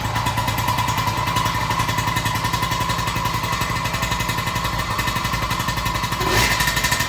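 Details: Yamaha PW50 50cc two-stroke after new aftermarket crankshaft, crank bearings and seals, cold engine: fast even buzz with one light throttle blip, no knock or rattle; kicks over and runs good, knock gone.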